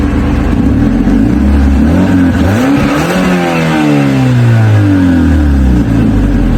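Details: Mazda 3 with an exhaust leak: loud, raspy engine note swelling and falling through several revs.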